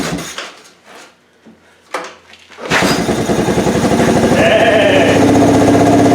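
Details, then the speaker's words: 1988 Yamaha Moto 4 ATV rescued from a field, first start in the shop: fires after a few cranks and holds an even, quick putter near 200 beats a minute; a little smoky but steady and healthy idle. "hey not bad not bad not bad woo she a little Smokey right on right on"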